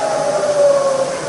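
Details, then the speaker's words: Bridgeport milling machine, Vari-speed head, low range in reverse: top 300 RPM down through middle to about 50 RPM; quiet smooth whine dropping in pitch as spindle slows, no rattle or grinding; normal spindle drive. "And yeah, it's just as quiet and low. That's 300 in low range."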